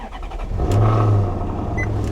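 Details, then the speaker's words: 2009 Maserati Quattroporte S 4.7 V8 (an engine said to be used in Ferraris) starting: the starter catches, a quick deep blip of revs, then a smooth, even low burble with no ticks or knocks. A healthy start and rev. "Oh, listen to that. Beautiful. Beautiful. This is not the 4.2. This is the 4.7. And this engine is actually used in Ferraris."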